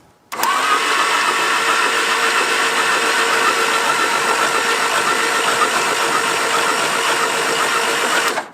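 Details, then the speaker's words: Abandoned, long-buried 1950s-60s Willys Jeep truck, battery recharged after being thought dead: steady, even, brisk starter whir spinning the engine over; normal cranking now that the battery has charge. "Hey, I think I figured out what was wrong. I think our battery was dead."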